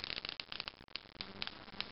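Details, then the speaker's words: High-voltage arc crackle: a shelf-mounted Cockcroft-Walton generator (capacitors thought 0.001 nF, 15 kV each) charges and discharges by itself, sharp irregular snaps, while a nearby Slayer exciter runs; faster when approached. "And as you can see, this thing is charging and discharging by itself. I think these are 0.001 nanofarad capacitors, 15 kilovolts apiece. And as you can see, doing a nice little arc out"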